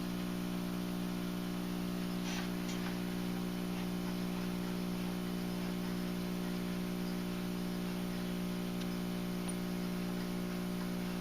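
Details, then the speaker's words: National NC-60 Special AA5 tube receiver, being brought up slowly at about 103 V and 0.2 A, tuned to the broadcast band with a short wire antenna. Steady low buzzing hum, no station heard; failing filter capacitor, to be replaced. "all right so we're getting nothing but home so it's definitely a filter cap gonna have to be replaced here before we're gonna get anything i think"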